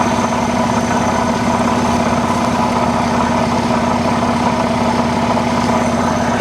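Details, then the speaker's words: Supercharged Jaguar XJR, a non-runner bought at auction: steady V8 idle with an uneven, lumpy beat and faint hiss; a broken supercharger intake boot is letting air in past the mass airflow sensor. "tk found a broken boot on the supercharger here right there look at that just sucking in air past the mass airflow sensor so that's problematic for sure"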